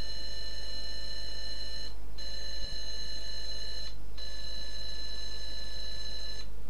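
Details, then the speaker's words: Atari 410P tape recorder with Atari 800, being repaired: clean steady high data tones with short regular gaps between blocks, no warble or dropouts; tape loads properly. "so you can hear the tones of the tape loading"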